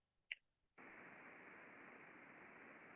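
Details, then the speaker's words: Steady, even hiss with no knocks or crackle, heard through ultrasound on a fan's non-drive-end bearing after replacement; the old bearing had degraded rapidly with friction and impacts, and the new bearing is clean and healthy. "nice, clean, healthy bearing. Sounds a lot better, looks a lot better."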